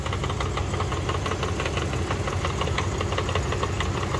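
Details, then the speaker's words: 1999 Dodge Durango SLT, sat 14 years, after exhaust manifold reinstall and swapping crossed rear plug wires: steady idle with sharp tapping about twice a second, knock suspected near the flywheel rather than the engine, unconfirmed. "sounds like it's inside it I don't think it's the engine I get something inside uh inside here um by the flywheel I think I hope"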